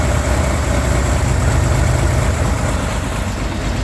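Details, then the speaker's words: 1965 Corvair Monza air-cooled flat-six, cold start at about -6 to -8°C after two months sitting; lumpy, loping, hunting idle; rough cold running, owner says carburetors seem to be loading up on fuel, no carburetor de-icing equipment. "it's like carburetors are loading up a bit on fuel"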